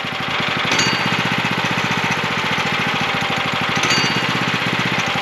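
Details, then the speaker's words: Sawmill engine, throttle raised slightly: fast even engine patter with a light metallic ding before the drive turns; idle set too high, so the centrifugal clutch partially engages and drags, wearing it quickly. "so if you're hearing that dinging sound your idle is too high and your clutch is partially engaging and that's going to wear it out really quickly"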